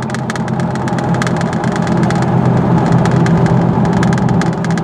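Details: 2000 Chevy Blazer with P0300 misfire code, on a road test after diagnosis and repair: steady, even engine drone with no stumble or skipped beats, pulls smoothly under load; no misfire.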